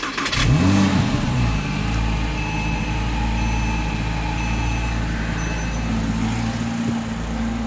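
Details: 2007 Porsche Cayman base 987, after replacing spark plugs and coil packs for a misfire from water in the fourth cylinder coil: engine catches, blips up, then settles to an even, smooth idle with no stumble or miss.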